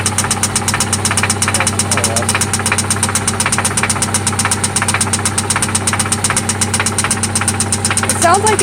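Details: 1995 Toyota Celica ST idling after an oil change and spark plug replacement: a loud, sharp, steady ticking knock at roughly three beats a second over the idle; it seems to come from one spot, and its cause is not yet pinned down.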